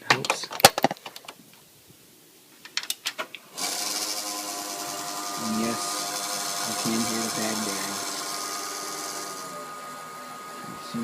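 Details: Old PC (850 MHz Athlon, 512 MB RAM, Windows Vista) with a Goodwill ATI Radeon X850 Pro graphics card installed, at power-on. After some clicks, the fan spins up into a steady whir with a thin rasping edge and a faint tone. Worn, grinding fan bearing.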